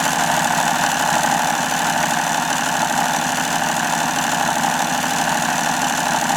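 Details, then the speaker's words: Hobao Hyper7 RC starter box motor after re-greasing, run on a full battery: steady buzzing hum with coarse uneven rasp, wobbly and loose; owner suspects worn bearings; rough running. "I know it sounds a bit rough but it ain't all that bad you know I know it's a bit wobbly and a bit loose but it's not that bad"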